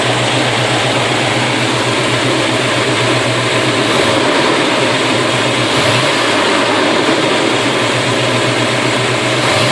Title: Chevy 350 low vacuum after rebuild idle with full timing advance